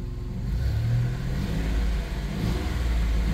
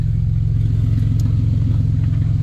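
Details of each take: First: 1990 Dodge Grand Caravan LE after reassembly and exhaust work, first start: smooth deep note, steady rumble, even rise and fall on revs, no knocks; a slight exhaust leak heard up top, possibly an unseated donut gasket. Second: 1990 Dodge Grand Caravan LE after reassembly, low on fuel: loud, raw, steady low rumble at idle with sharp exhaust bark, sound pouring straight out after the catalytic converter with no muffling; exhaust leak.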